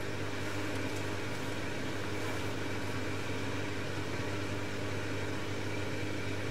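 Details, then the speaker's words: Bosch XL dishwasher after fixing an E25 drain error caused by a piece of plastic blocking the drain: the drain pump gives a steady, even low hum with no rattle or grinding. Normal drain pump operation. "That sounds better. So, all of that was caused by one piece of plastic. That sounds much better."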